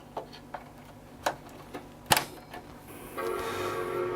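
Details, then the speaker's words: Apple Power Mac G3 Blue and White, 400 MHz, after a failed boot from another disc: a few sharp clicks, then a clear sustained chime, and it proceeds to boot; normal startup chime. "so we get a chime at least this time and is proceeding to boot"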